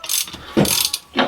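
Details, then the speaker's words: 2009 Subaru Forester engine with the crank turned by hand: loose metallic clacks in quick bursts. The rod bearings are worn, the crank is judged toast, and this is the source of the engine knock. "i know that crank is toast so that was my answer the whole time and you can hear when i spin that"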